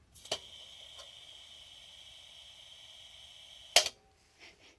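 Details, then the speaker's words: Petromax 829 kerosene lantern, pressurized with manometer registering: preheater torch opened after a click gives a clean, steady high hiss for about three seconds, fuel flowing freely, seems to smell of kerosene. Normal preheater torch flow. "So I'm going to pop this open and see what happens. All right, that sounds pretty good to"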